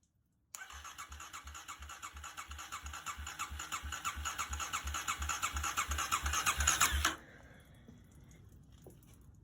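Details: 2009 Kawasaki KLX250S after carburetor jets cleaned, reinstalled, fresh gas: starter cranks evenly about three beats a second for six seconds without firing; choke suspected as the cause.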